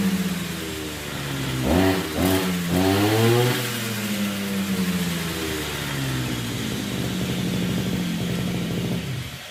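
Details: Brush cutter (RBC411 two-stroke) after straightening the bent blade tip that caused violent shaking: revs up quickly and settles into a smooth, steady high buzz without wobble or shake; normal running.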